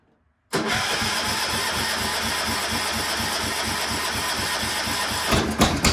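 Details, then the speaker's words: Cub Cadet 1250 garden tractor, not run in seven years, running busy and slightly uneven at full throttle after backfiring on start; owner says it seems to be running really rich and needs carb adjustment screws tuned. "it seems like it's really rich so I need to play with those adjustment screws a little"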